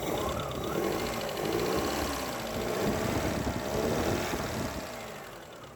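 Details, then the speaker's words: 1970 Hindustan Ambassador Mark 2 petrol, rebuilt engine about 140 km, warmed up and revving: loose rapid ticking and puffing tracking engine speed, attributed to an exhaust leak somewhere. "that you hear is because of the exhaust is leaking somewhere"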